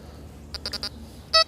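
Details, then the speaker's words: XP metal detector over buried chicken wire: choppy, irregular high beeps and chattering break up the quiet hum. "That's buried chicken wire, that. You're not going to do any good around that."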